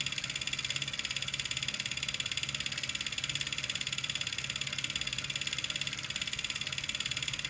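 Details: Fast regular ticking at about two per second over a high steady whir from a Kickr Core trainer; repeating click, source unclear.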